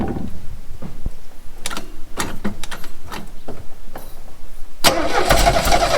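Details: 1969 Renault 16 petrol, not run in years, fed by a rigged external fuel supply with fresh petrol after earlier no-spark troubleshooting: starter churns in uneven bursts, catches briefly but never runs; no start, cause not found.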